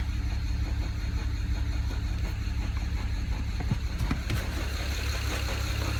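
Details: 2008 BMW 135i with N54 petrol engine at idle: lumpy, uneven stumble from a cylinder 6 misfire. A bad injector in cylinder 6 left it running on five cylinders and nearly undrivable.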